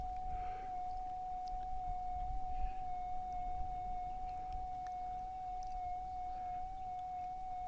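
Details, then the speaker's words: Minelab GPZ 7000 gold detector at startup, auto-tuning through settings to adjust to electromagnetic interference. A steady single high tone sounds over a soft hiss; this is the normal auto noise-cancel cycle. "Now the machine itself is going through a whole bunch of different settings so that it can best adjust to the EMI, electrical magnetic interference. And once it finds the best spot, it's going to be done, and I'll be ready to set up the machine to hunt."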